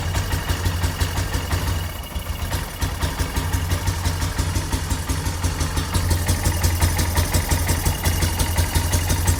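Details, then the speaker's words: 2008 Yamaha Big Bear 250 quad, bought broken, warming up on choke because it won't run without it: a steady low putter with quick, even throttle blips and no knocks or misses. The owner suspects an air leak or crankcase venting. Normal idle and revving. "She sounds smooth, healthy. Does not want to run without the choke."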